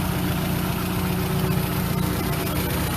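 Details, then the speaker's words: Engine after replacing worn ignition wires with new ones: steady low, even drone with no misses or ticking, running quietly; normal idle. "yeah seems like seems like everything's working pretty good as i said it actually sounds like it's actually running pretty quiet all right now"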